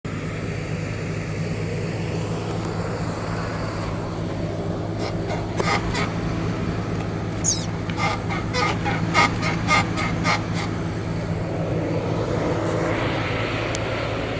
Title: Horrible creaking noise crown Vic